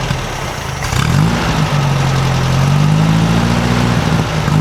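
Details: 1956 VW Beetle air-cooled flat-four after valves readjusted to 0.006in feeler gauge: settles into steady busy sewing-machine idle after a blip, much quieter, no valve rattle from either side; healthy idle.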